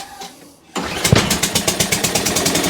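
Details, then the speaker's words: Toro Recycler mower with a new spark plug, started on choke: it catches after a pull and settles into a sharp, slightly uneven popping of about eight beats per second; rough at first, but it runs. "So she's a runner. It may have just been standing for a little while. Oh, I'm pleased with that. I am actually very pleased with that. It didn't sound right to begin with."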